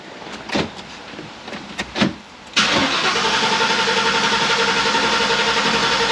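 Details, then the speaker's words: 1994 Ford Mustang GT V8, first start in six years, prime not clearly heard: a few clicks, then it catches and settles into a steady even idle with no misses or knocks; starts and runs fine. "holy i can't believe it started that's worthy of a curse word"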